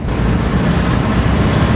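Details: Classic VW split-screen camper van, air-cooled engine, night test drive after work to cure popping and banging: smooth, continuous drone under road noise, no popping or banging, pulls cleanly and accelerates much better; normal running.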